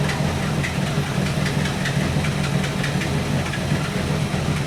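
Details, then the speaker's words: 1964 Buick Electra 225 401 Nailhead V8, freshly reinstalled rebuilt Carter AFB 4-barrel, warmed up at idle: loose uneven lope with occasional stumbles as a cylinder drops out while the dwell meter drops. Intermittent misfire; the owner suspects an aged condenser/ignition. "So when it's behaving pretty good now that it warmed up, but every now and then it starts to drop out. And I can watch the dwell meter drop down and then come back."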